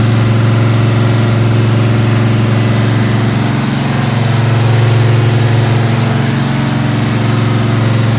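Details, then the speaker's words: Gen 1 small-block Chevy 383 stroker with flat-tappet cam (234/244/112) and Liberty heads, 461 hp, on an engine dyno after pulls: deep, even V8 rumble, smooth firing, no valvetrain ticking; normal running and idle. "I think it sounds good. The valve drain doesn't have any funny sound. See how it idles."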